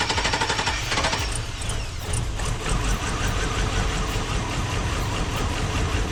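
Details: 2002 Cadillac Escalade barn find, sat about five years with old fuel, first start after fuel line work: uneven, stumbling idle with irregular chuffs and misses; running rough, cause not confirmed.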